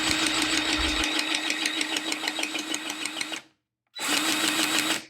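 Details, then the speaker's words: Milwaukee M18 cordless grease gun, grease needle removed, switching from running empty to pumping grease; steady motor whir with a rhythmic pulse about three times a second, pausing and restarting cleanly, normal grease pumping. "here's what it sounds like when it's empty and this is what it sounds like when the grease is starting to pump through it"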